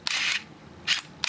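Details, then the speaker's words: Minolta Maxxum 7000 film camera with the back open: crisp, quick shutter and film-drive whirs, each firing clean and even with no drag or hesitation. Shutter working properly. "We see the shutters working good."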